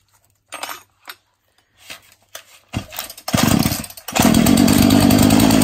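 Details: Husqvarna 236 chainsaw after the binding chain was removed: a few pulls catch, then it settles into a steady, even high-pitched buzz with no surging or dropouts, running healthily.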